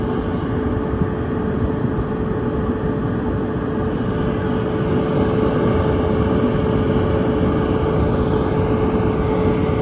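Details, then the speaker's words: Whirlpool Cabrio WTW7300DW0 dryer built December 2014, after pressing start: steady even rumble and mid-pitched hum, no knocks or squeals, heating well; normal smooth dryer operation. "and we're going to press start it sounds great runs great sounds real smooth"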